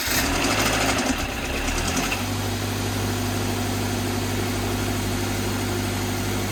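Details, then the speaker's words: 2013 Scion FR-S with new/reman short block replacing a rod-knocking engine, primed and cranked with fuel pump disconnected, official first start: rough clattery seconds then smooth idle; brief knock believed to be timing chain lacking oil pressure. "up it's running smooth I think that little knock noise what you heard was the timing chain it probably didn't have uh enough oil pressure in it"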